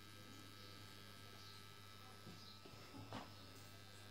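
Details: Small transformer: a steady low buzz at one pitch under faint room noise; transformer hum.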